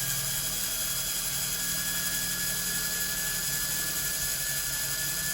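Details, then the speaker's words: 1961-65 Thunderbird/Cadillac power antenna motor, bench-tested on battery after disassembly: steady high-pitched electric whir with a light ratcheting tick, speeding up as it wakes; spins freely without binding, sounds the same both directions. "With electric motors, when they sit for a long time, if you let them run for a while, they go faster and faster, because then they start to wake up. You can hear the difference in the pitch of the engine. Sounds pretty good."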